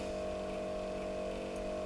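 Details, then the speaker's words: Marshall AVT50H guitar amplifier in for a blown 10A fuse, powered up on a current-limiting lamp with no excess draw: steady hum with a clear constant whirring tone; internal cooling fan running noisily. "fan's a bit noisy."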